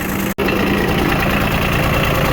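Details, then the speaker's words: Kubota RTV900 diesel after head gasket replacement, fuel bled of air: fires and holds a steady, even idle with a smooth low clatter, no misses, knocks or tailpipe smoke; normal idle. "Now we know we got no air in there. She's running and idling. Beautiful."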